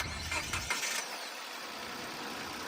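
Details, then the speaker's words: 2012 Nissan Almera 1.2 E, original engine, about 170,000 km: quick clean catch on the starter, then a quiet even idle with no rattles or ticking; engine sounds normal. "เครื่องก็ไม่มีอะไรนะครับเครื่องเดิมนะครับก็ปกตินะครับ"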